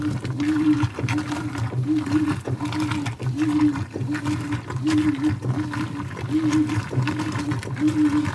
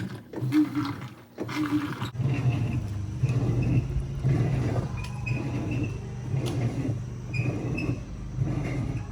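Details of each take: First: 2011 Whirlpool Cabrio Platinum washer (WTW8200YW0), bearings and basket drive previously replaced, washing towels on high-speed agitation: quick, steady strokes with an even motor hum and water sloshing, no grinding. Normal wash agitation. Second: 2011 Whirlpool Cabrio Platinum top-load washer (WTW8200YW0) agitating a large load of towels, deep low roar swelling with each stroke about once a second from worn tub bearings, before bearing and basket drive replacement.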